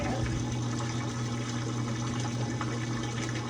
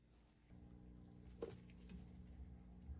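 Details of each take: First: GE washer, newly installed drain pump after not draining or spinning: steady low hum under a constant rush of water being pushed out; pump runs smoothly and evenly, no grinding or rattle. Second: GE top-load washer not spinning or draining, in drain and spin, machine tipped back: faint steady low hum with no pumping or water movement; pump has power and vibrates, suspected seized drain pump.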